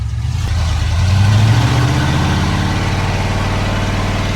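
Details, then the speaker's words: 32-year-old Ford F-150 V8, sat 10+ years, after fixing rich running and popping: revs climb then settle into a steady, even firing beat, no miss or knock; runs smoother, normal running. "burnt rubber I mean it's it's doing way better it downshifts really good it's not popping anymore because there was so much fuel it's overall a lot better and runs a lot smoother"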